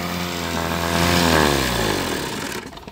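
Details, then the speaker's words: 1974–1984 Mercury 7.5 hp outboard, first start in over a decade, carburetor bowl still dripping; smooth even buzz, pitch easing down before shutoff, no knocks or misses, normal running. "you can hear it sounds pretty good though eh"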